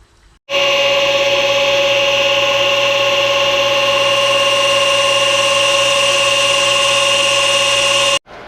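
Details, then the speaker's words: Old pool filter pump recorded when the pool was opened, for comparison with the new, much quieter 2 hp replacement; loud, steady high-pitched whine with hiss throughout. Loud pump noise. "Um just as a reminder, here is what our other pool filter sounded like when we opened this pool."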